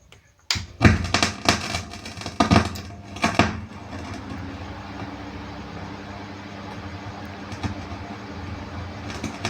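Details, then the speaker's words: Class AB power amplifier with SOCL506 driver: sharp irregular crackles and pops for a few seconds after switch-on, then steady hum and normal operation; fault in channel B driver, fixed by replacing three components. "Jadi ini terjadi beberapa saat untuk suara gretek-getek ini. Jadi ada suara noise yang tidak normal. Akan tetapi setelah beberapa saat suara ini akan hilang dan power bekerja normal kembali. Jadi ini kendalanya ada pada driver yang channel B."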